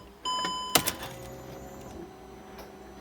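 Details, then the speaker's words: Hellcat fuel pump fitted to a CLK55 AMG M113K swap, priming with battery connected, rail pressure still low: short high electric whine, a clunk, then fading; normal fuel pump priming. "all right here fuel pump that's great prime it a few times"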